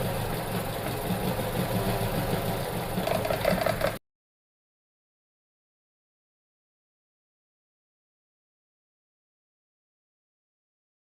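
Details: Vauxhall petrol engine idling with an uneven, stumbling beat: ignition misfire from a broken ignition coil.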